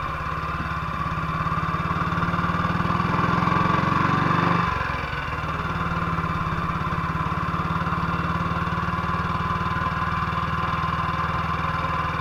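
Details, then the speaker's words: 1958 BSA C12 single-cylinder on a road test after a misfire fix; the misfire had earlier caused a breakdown, and the battery tested fine at 6.3 V. Even thump revs up, then eases back to a steady beat with no stumbles or misses. Sounds like it used to: normal running. "but it went all right sounds like it used to"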